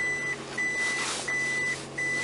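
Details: 2007 Gen 2 Toyota Prius at 90,723 miles, shifted from park to reverse during beeper-disable procedure: high, clean in-cabin beep repeats roughly every two-thirds of a second, four times; normal reverse warning beeper.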